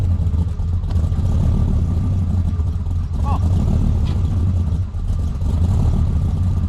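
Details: 765hp Dodge Ram SRT-10 Viper truck V10, returned to its owner after 6 years: deep, even rumble with a steady beat and no knocks, misses or rattles; running healthy.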